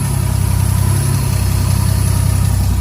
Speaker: A little louder than I'd like, coming out on the side dump, but you can see there's a smile on his face.